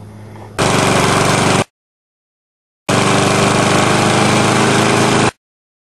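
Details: Older Briggs & Stratton mower with Choke-A-Matic carburetor, mixture screw set a quarter to an eighth turn back from rich: small single-cylinder engine runs steadily in each burst with no knocking or surging; normal running.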